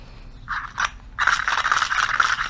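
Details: Modified Chinese 80cc motorized-bicycle recoil pull starter working normally: a short pull, then a longer one, with an even light rubbing whir and no catching. Slight rubbing comes from the off-center bushing, since there are no bearings.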